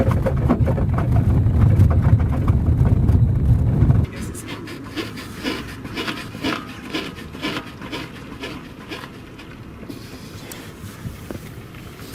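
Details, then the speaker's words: Hyundai Solaris, rear beam: a dull thump inside the cabin, then a rhythmic rubbery creak about three times a second as the body is rocked; worn rear beam bushing, started with cold weather, louder in reverse. "Внутри салона слышен какой-то дребезжащий, глухой стук. Но снаружи, когда раскачиваешь машину, это звучит как скрип резины."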